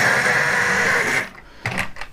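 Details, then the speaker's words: 50-year-old LEGO train motor on first power-up: steady, raspy high buzz for about a second before cutting out; sounds rough and unhealthy, and maintenance is suggested. "my word that doesn't sound like the healthiest motor in the world but if you can hear that hang on I might need to"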